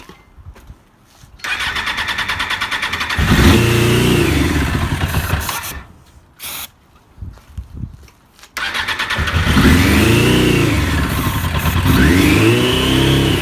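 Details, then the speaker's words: 1996 Suzuki RF900R catches and roars briefly, dies, then restarts and revs unevenly; it keeps running only on sprayed brake cleaner, and a carburetor fault is suspected. "Well, it seems no luck. She's just running only on the brake cleaner. So, I definitely have to take apart the carburetor."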